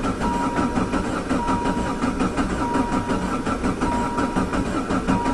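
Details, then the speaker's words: Diesel van converted with a Jetta diesel engine, sitting since autumn, with a corroding injection pump. Long starter cranking after glow-plug preheat with no firing, due to air in an empty injection pump. It was fixed by hand-priming the pump with diesel. "i have primed the injector pump i did that by unhooking the fuel line and using the squeezy bottle and squeezing hand pressurized diesel into the injector pump it did seem empty"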